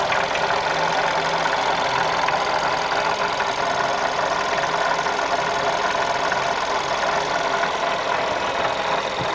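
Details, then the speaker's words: 2012 VW Golf Convertible 1.2 L petrol, 100,000 km, coolant below minimum and leaking: constant gritty whirring hiss over idle with no knocking rhythm; engine fine, water pump bearing noise. "The noise is not from the engine and the noise comes from the water pump."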